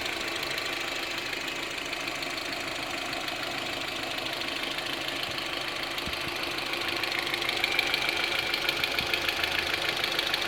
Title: Ticking noise from engine in Audi A 6